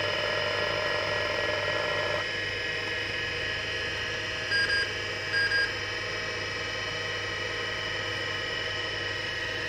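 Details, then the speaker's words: Seagate ST-251 hard drive in a Wyse Technology 286 2112-40 under repair, test spin-up: winds up into a steady high whine, the pitch changes once at speed, then short seek chirps, a healthy normal spin-up. "might as well give the old hard drive a bit of a start-up while I've got it all hooked up just so you can have a listen beautiful noises"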